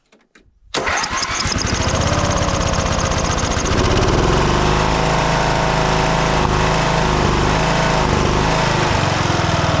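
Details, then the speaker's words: 1979 John Deere Model 68 riding mower running for first time in years, choked, after fuel leak fixed; catches after short crank and settles into steady even low idle with no misses or knocks; normal idle. "Oh, yeah. She runs real good. For sure. Most definitely. Yeah, that's at low idle, too."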